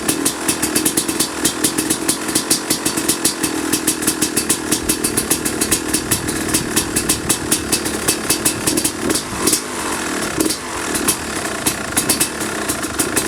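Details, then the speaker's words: 2005 Kawasaki KX250 two-stroke, first fire-up after rebuild for low compression (piston shot, plating questionable, crank play): crisp rapid crackle at idle with a few clean throttle blips; runs strong and even. "I'm going to open the garage door because I am going to suffocate in here with these fumes. But man, it sounds and smells really good."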